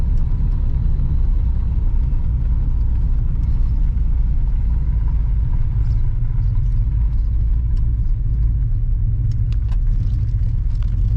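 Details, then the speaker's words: 1986 Pontiac Trans Am on its first drive after sitting over 17 years, following carb, fuel tank, intake gasket and fuel pump work: deep boggy rumble while pulling away, engine loaded up and running rich, expected to clean itself out. "Pretty loaded up, but you know, once it cleans itself out, it does better."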